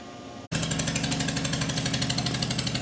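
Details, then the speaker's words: Toyota Camry with suspected bad head gasket, run outside with one spark plug removed to warm up until the thermostat opens: lumpy, shaking beat of about three pulses a second like a tractor; misfire from the disabled cylinder. "to run this thing outside and it sounds like my tractor"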